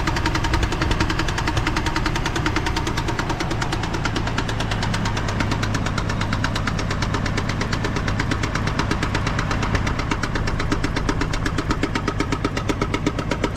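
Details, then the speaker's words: GMC Envoy with under 10 miles on a new transmission: fast, fairly steady ticking about two to three per second over a rough-running engine, seeming to come from the top; cause unknown. "But it's definitely making that noise right there. You know, like I said, it's almost like it's coming from the top."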